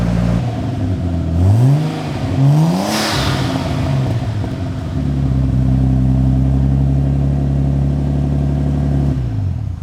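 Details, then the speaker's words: Nissan R32 Skyline RB25DE+T, not driven for over 10 years, started with newly fitted rusty full exhaust: couple of quick revs, then falls back to a steady even idle with deep exhaust drone; sounds healthy. "that's weird it kind of just sounds like a car"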